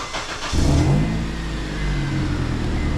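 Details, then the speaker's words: 2008 Honda CR-V that stutters at idle with A/C on, aftermarket catalytic converter, after codes erased: low idle with a dull metallic rattle from underneath, new since before; source not found, cause suspected, not confirmed; rattle at idle. "now I'm not sure what that noise is so at first if you guys can hear me and not the crazy noise but it I'm hoping you can hear me at first the noise was kind of alarming"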